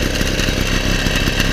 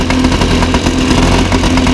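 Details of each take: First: 1977 Motobécane M7 moped after full overhaul, first start with choke, at idle: steady crackly two-stroke idle, even; a tapping came from the frame knocking against the engine, silenced by pressing a screwdriver; runs well. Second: 1977 Motobécane M7 moped two-stroke at idle after full service, first start: buzzy idle with light irregular clatter from something tapping on the frame; not an engine fault.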